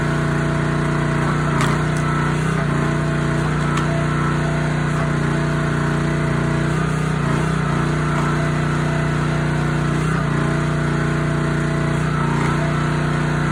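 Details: Honda GX160 SplitFire wood splitter after carb clean and oil change for bogging when splitting; steady even drone holds pitch with only slight dips as load comes on, pulling smoothly, normal under load.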